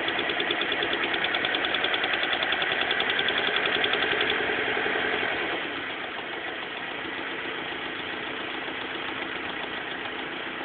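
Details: BMW M42 engine at idle: sharp, regular tick about three or four times a second over the engine note; abnormal noise of unclear cause.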